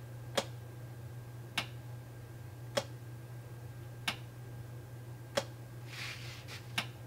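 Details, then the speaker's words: BMW X5 DMTL (fuel tank leak-check) pump triggered from diagnostic software: crisp single clicks about every 1.2 seconds over a faint steady pump hum; the changeover valve inside the pump switches properly and the pump works. "and we can also hear the valve working fine too so i'd say that our dmtl pump works great"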